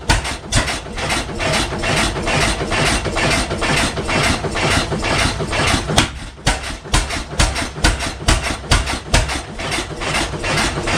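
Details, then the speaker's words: 1912 12 HP Goold Shapley Muir hit-miss gas engine, first run in about six years, just started: heavy bangs roughly twice a second, barely coasting; running rich and firing too often, fuel suspected opened up, or maybe just cold. "I wonder if he's opened this up and gave it a little bit more fuel cuz remember before it used to hit once and then coast now it's hitting more and more."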